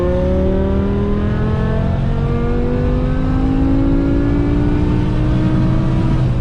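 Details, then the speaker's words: BMW E60 M5 S85 V10 under full-throttle acceleration after replacing cylinder 2 and 3 coil packs for rough cold start and misfire; engine note climbs cleanly and steadily with no stumble, no longer falling off at the top end or surging louder and quieter. "On the power, it's nice and smooth now."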